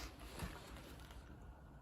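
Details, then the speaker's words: Renault Zoe ZE40 electric motor at 116k, rebuilt with new bearings, spun freely on the bench before sensor and brush cover refitted; quiet low whir coasting down, rubber-shielded high-speed bearing just audible; far quieter than before, sounds healthy. "all right so there we go sounds pretty good you can just about hear the bearing you can hear that one that's the um rubber shielded highs speeded one at that"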